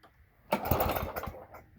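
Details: Toro lawn mower with a 3.5 hp Briggs & Stratton engine, cold December morning start after priming: a few ragged chuffs and a lone pop, then it dies; it sputters and won't keep running.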